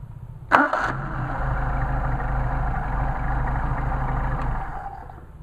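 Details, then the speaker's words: Mercedes 190SL with freshly machined, rebuilt, synchronized Solex carburetors, hot start after tuning. Short crank, catches at once and settles into a smooth, even idle with no stumble; clean, healthy hot start. "pleased to say Ted we have got you a really really nice set of carburetors"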